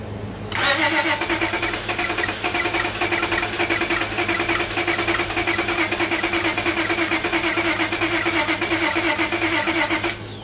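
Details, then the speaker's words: Car towed in with crank-no-start, water-contaminated fuel found; cranking with new spark plugs: long steady cranking about ten seconds without catching. "That was a lot better. It was a whole lot better. That was the first hit too with the new plugs in it."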